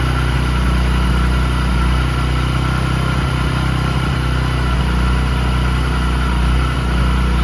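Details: Discover 100 (BS3) single running after timing chain replacement for a chain noise: smooth, even thump with no rattle or chain slap over it; a healthy engine.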